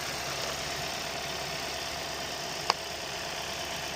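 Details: 2014-2016 Hyundai Sonata with code P0128, after thermostat and coolant temperature sensor replacement: smooth even idle under the full heater blower hiss, one light click partway, no knock or miss; engine sounds healthy.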